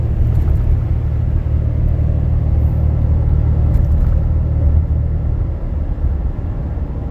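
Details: 2012 Dodge Ram 6.7 L Cummins diesel, fully deleted, EGR delete, 4-inch turboback, H&S Mini Max on stock setting; pulling a steep hill, in cab: deep steady rumble, no exhaust drone.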